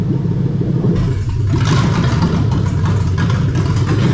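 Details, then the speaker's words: Lexus 3UZ-FE VVT-i V8 harness in an IS200 with J160 manual and remapped ECU, active test: the steady idle turns rough and clattery in repeated bursts as the VVT-i cam oil control valves switch on and off. "so these are the oil control valves for the bbti so you're gonna hear a funny"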